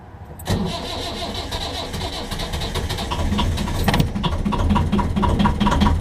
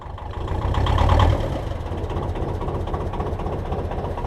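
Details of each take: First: 1.5 BMC diesel narrowboat engine, glow plugs primed at least 60 seconds: cranking gives way to uneven, stumbling firing that never settles. Hard starting happens every time; glow plugs are being changed to improve starting. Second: BMC 1.5 diesel narrowboat engine after changing the glow plugs, started with 10 seconds of preheat: low steady chug at idle with only slight unevenness; starts much better, less lumpy and less smoky than before.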